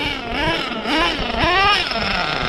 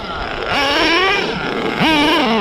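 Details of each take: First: Redcat Nitro Earthquake 3.5 nitro RC engine on slow passes after fueling the carb, before further tuning: small engine buzzes cleanly, pitch rising and falling smoothly with gentle throttle, crisp with no bogging; good slow-speed response. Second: Redcat Nitro Earthquake 3.5 nitro RC engine after adjusting the carb a quarter turn: revs scream up at full throttle then sag and hang flat instead of pulling clean, twice over; still a massive bog at full throttle.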